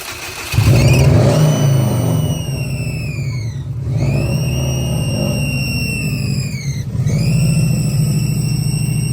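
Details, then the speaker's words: Bugeye car started after a new crank position sensor and rewiring: loud high whine over the idle, dipping and climbing with each rev blip; suspected vacuum or boost leak, not pinned down. "It's making a very loud whining sound, which typically is attributed to like a vacuum leak or a boost leak of some sort."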